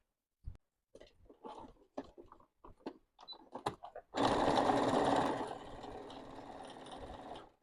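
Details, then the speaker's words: A sewing machine makes slow single stitch clicks, then a fast, even run with a slight punching tap on each stitch. The needle has been in use for a week and needs replacing. "Acho que preciso trocar a agulha. Você sabia que se você costura muito, precisa trocar a agulha a cada 23 dias? Eu tenho a minha há uma semana, é por isso que ela faz esse barulhinho."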